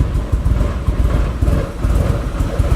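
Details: Nissan 240 with SR20 engine idling lumpy and uneven with irregular low thumps, no steady rhythm, running very rich; reseating the MAF changed nothing; rough idle traced to a faulty intake coupler; power loss began accelerating near 5,000 rpm.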